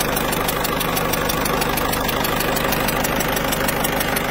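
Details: Citroën C4 Picasso 1.6 HDi, pre-05/2010: diesel idle with sharp regular ticking chuff about three per second over clatter, leaking injector seals, suspected underlying cause of turbo failure; seals to be replaced.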